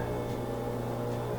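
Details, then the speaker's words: Whirlpool front-load washer with a blinking door-locked light, just plugged back in after a 5-minute power reset: the drain pump fires right up with a constant low hum that never cycles off. Drain suspected blocked, leaving the washer flooded. "It's not able to get rid of the water in there, so it's basically in a flooded state, and it's going to just keep draining. Drain's going to stay active, and it won't let new water in."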